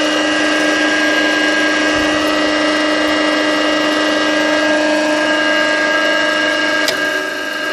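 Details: Conz 7.5 kW electric motor, first start in over 40 years on a provisional power supply: a steady hum with a harsh, rough whine and gritty rumble, constant at speed. Worn, broken motor bearings.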